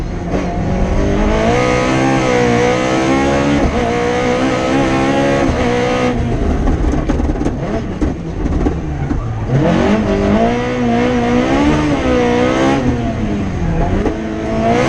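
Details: Rally car on the Padmore Village to Golden Grove stage, Rally Barbados 2017, revving hard through quick gear shifts with a clean, unbroken pull and no stutter: the engine is healthy at full throttle.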